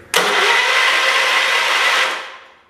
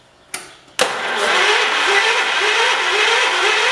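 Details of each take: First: 1977 John Deere 212 garden tractor being revived, after fuel tank and fuel pump work: a steady starter whirr for about two seconds with no firing, then it winds down. Cranks but won't start, with no spark confirmed; the plan is to clean and adjust the points first. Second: 1977 John Deere 212 lawn tractor being revived after fuel tank and fuel pump work, battery reconnected: sharp click, then about three seconds of steady, even cranking with regular compression pulses; starter turns the engine over fine.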